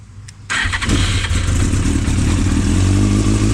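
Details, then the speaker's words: Fully restored 1999 Yamaha R1 with a carbon fiber can, on a cold start after new gaskets, oil pan, radiator hoses and fan. Starter catches at once and settles into a strong, even four-cylinder idle with no knocks; a good cold start. "so I'll let you guys hear the bike this is on a cold start"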